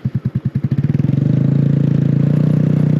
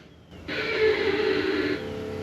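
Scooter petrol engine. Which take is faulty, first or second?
second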